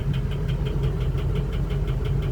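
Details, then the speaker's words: Ford 6.0 diesel (2003-2007), replaced engine a year earlier, idles with a heavy, sharp tap about six times a second, cylinder 5 misfire, with heavy smoke; noise worsens with rpm. "At this point, I don't know if you can hear the noise, but there is a pretty heavy tapping noise. Usually that's bad engine, but in this case we have a cylinder number 5 misfire."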